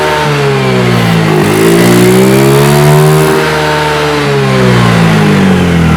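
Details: Fuel-injected scooter that wouldn't idle or rev, after cleaning throttle body with carb cleaner: engine note climbs and falls cleanly with throttle, no stumble or bog; revs freely.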